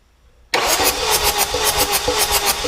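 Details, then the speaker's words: Chevy Cruze 2.0L diesel: starter spins the engine with a rapid, steady pulsing whir, never fires. A finger over the plug hole feels no wind on cylinder number four, so no compression there. "i'm just gonna stick my finger over the hole and see see if i feel any wind there ain't nothing there let's let's compare to see what it's supposed to feel like oh my yeah yeah for sure no wind on number four"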